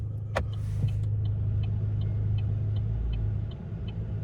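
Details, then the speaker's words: Chevy Cruze at idle, parked with brake on: turn-signal flasher clicking crisply and evenly spaced, about three per second; earlier the indicator clicks ran uneven and out of sync with the blinking lights, owner suspects a weak battery. Now normal. "you can hear the, click, click, click, click, click, how it's evenly spaced."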